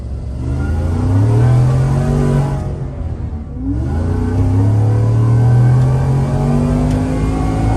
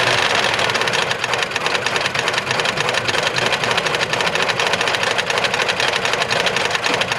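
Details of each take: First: Stage two Whipple supercharged 2022 Ford F-150 5.0L V8, replacement engine with long tube headers: deep, strong note climbing and falling smoothly through revs, no knocks or rattles; healthy. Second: 2022 Ford F-150 5.0L V8 with Whipple supercharger, at idle: rapid, hard metallic rapping; no oil pressure though oil present, check engine light on; internal failure, suspected hole in block or failed oil pump.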